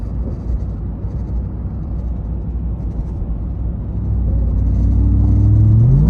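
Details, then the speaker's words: Ram TRX driven for hours: low rumble when pulling away, then a drone rising with road speed. It whines when slowing and is silent when stopped, possibly from the dash or the engine bay. Vibration noise, source unconfirmed. "making a strange vibrating noise when you take off."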